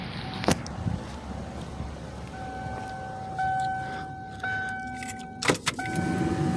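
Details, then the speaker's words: 1997 Ford F-250 with 7.5L 460 V8 idling after PCV valve and fan clutch replacement: steady high squeal holding one pitch over the idle, coming and going in patches, from the original belt tensioner assembly, which was then replaced. "so so once i threw this all together my tensioner assembly started squealing real bad and it was original"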